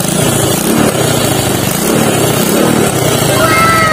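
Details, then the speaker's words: Rusi MPY / Wave 100 small single motorcycle, idling after carburetor work and throttle needle reseated: steady idle with a raspy, spitting exhaust note from a leak in the exhaust pipe, which needs welding. "So mga idol, pakit yung tunog ng motor kasi yung tambucho na ito, kaya may singaw na dito. Ayun. So may singaw na."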